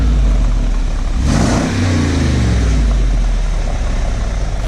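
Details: Rebuilt Brabus 6x6 Mercedes-Benz G-Wagon, recorded outside for exhaust sound: deep smooth rumble swelling cleanly through a quick rev and settling back, no misses or knocks; healthy, runs great.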